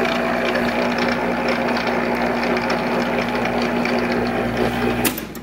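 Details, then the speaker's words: Monarch 10EE lathe after gear train noise work: steady hum and whir with light irregular rattle from the gearing; a lot less noisy than before but gear noise remains, source still seeming to come from up top. "i don't know i still hear noise what do you guys think let me know and it definitely still sounds like it's coming from up here"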